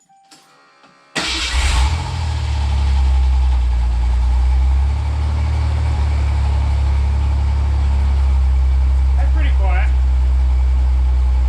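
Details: 1988 Ford Bronco II (Ranger-based mini truck) after a welded fix: starts and settles into a steady, low, even idle with quiet exhaust, no rattles or blowing leaks; normal idle, issue fixed.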